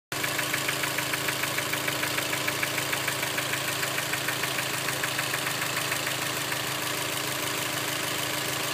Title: Knocking sound from motor